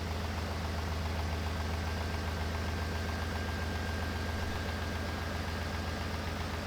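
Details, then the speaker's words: 2005 Ford Expedition V8 after repair of cylinder 8 misfire (P0358 persisted despite new coil): no codes, smooth even idle with no stumble, cylinder contribution perfect; no PCM or coils needed. "Okay, no codes. All right, go ahead and crank it. Oh yeah, baby. We are nice and smooth."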